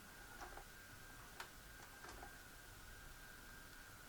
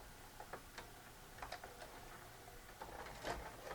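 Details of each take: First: Magnavox MVR440MG-17 4-head mono VCR that ate tapes, after repairing the mode select switch and realigning the main transfer gear: soft clicks as the tape threads, then a faint steady motor hum, no stall or shutdown. Normal tape load and play. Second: Magnavox MVR440MG-17 4-head mono VCR that eats tapes: it loads fine, then shuts down on play. Quiet irregular ticks and clicks as the mechanism hunts, not knowing its position. Mode select switch fault, needing cleaning.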